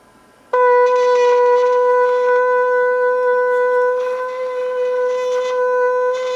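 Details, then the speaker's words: Sony TCD5M cassette recorder, long unused, after fuzz gummed on the motor shaft and bearing was cleaned: a steady sustained tone plays slightly sharp because the motor speed control was left turned up, so the tape runs fast. "as you can hear the speed is a little sharp now because i've been playing with the uh speed control so i haven't set it back so i got the motor speed up"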